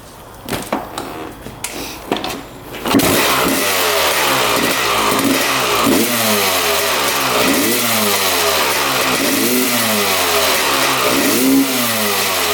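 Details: 1995 Honda CR250 two-stroke, after engine teardown, crank seal replacement and welding to cure a bog: sharp blips then crisp revs rising and falling cleanly, power valves confirmed opening; normal revving.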